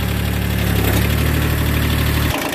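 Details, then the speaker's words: Three-cylinder diesel tractor started cold on glow plugs after sitting a couple months; low uneven lumpy chug then cuts out, like a miss; owner suspects a couple of glow plugs are done. "almost like it's got a Miss cuz that's three cylinder and I think a couple that glow plugs are done"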